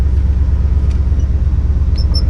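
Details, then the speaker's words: Cold engine after stuck valves were freed and bent pushrods straightened, still on fast idle with one more step to come down. Deep, steady rumble with an even beat slightly above normal idle; normal. "i mean it's not warm enough yet to it's got one more step to come"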